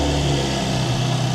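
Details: GMC Acadia after replacing the vapor canister purge valve solenoid, engine started to test it: smooth, low, even idle with steady pitch and no misses, ticks or hiss; new solenoid not clogged, idles normally.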